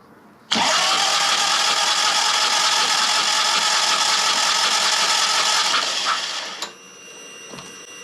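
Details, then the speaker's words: Harley-Davidson touring or Dyna after Screamin' Eagle manual primary chain tensioner install, chain play set to spec, cranking: even, smooth starter whir for about six seconds with no clunks or chain slap; primary sounds quiet. "But I don't hear any noise. Uh, let's crank it one more time."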